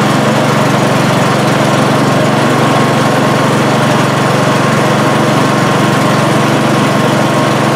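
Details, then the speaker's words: Craftsman snowblower small engine, warming up with the choke being moved: steady buzzing run that shuts right off with choke changes; it was also out of fuel; suspected gummed, sticking float needle starving it of fuel. "Shuts right off when you try to give it some choke."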